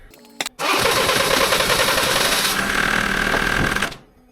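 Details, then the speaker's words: Diesel van started after the injectors were refitted with new O-rings and primed; it runs with a rough, uneven clatter and still fires on only three cylinders. The customer is advised an injector may be needed, and a leaking seal must be fixed first. "hm uh so it starts still running on three cylinders uh I advise the customer may need may need an injector"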